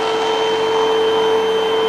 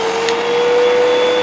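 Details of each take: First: Hoover vacuum model UH7103 after clearing clogs in the hose and lower inlet and refitting the filters; smooth steady motor whine with clear even pitch and free airflow: normal running, no restriction. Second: Hoover UH7103 vacuum after the first clog was cleared and filters refitted: loud motor roar with a steady high whistle on top, showing a remaining restriction from another clog deeper in.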